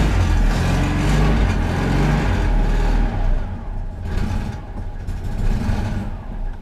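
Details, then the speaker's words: Citroen 2CV after cleaning the carburetor for cutting out and hard restarting following running the fuel tank low: engine catches and settles into a slow, lumpy, low-pitched idle that sags and wavers; idle very low, adjusted up slightly, possibly gummed-up petrol. "It got a very, very low idle at the moment, and I have adjusted it a bit up, but I will just let it bed in for a bit,"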